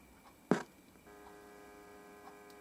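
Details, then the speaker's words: Mini 700mW BD139/BD140 power amplifier run from a flat 9V battery: click, then faint steady low buzz with no high-frequency whistle; likely not enough battery current — slight buzz. "it's a little buzz there but there's no high frequency whistle"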